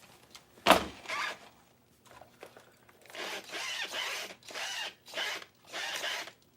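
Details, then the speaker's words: LST RC truck, just bought: short bursts of gritty crunching from one side each time the motor spins up, with quiet gaps between. Suspected chewed drivetrain gears. "Yeah, I'm getting noise over here. Crunching."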